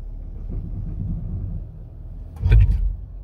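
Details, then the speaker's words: Jeep with 8-speed automatic in lowest gearing, Selec-Speed crawl mode engaged after releasing the brake: low rumble while creeping, then short bursts of clunks as the braking system takes control of speed, normal. "so the truck you'll hear that clunking noise that's the braking system taking control and and then controlling the speed"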